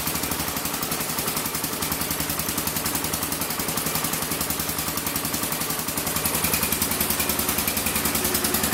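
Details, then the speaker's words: Massey Ferguson 14 garden tractor, Kohler K321 single-cylinder, carburetor set back to stock specs: uneven, loping chug of about three and a half beats a second that won't take throttle; cause not yet known. Rough running. "as you can see I'm pretty sure it's not running right it won't take throttle so I got to figure out what exactly is going on"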